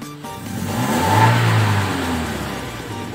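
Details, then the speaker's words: 2012 Toyota Innova 2000 cc petrol, warmed up, before Blackcore carbon-cleaning tune-up: throttle blip revs swell lazily over about a second then sag slowly; delayed, sluggish response, suspected carbon buildup, not confirmed. "jadi gasnya agak lambat naiknya, nggak respon spontan maksudnya."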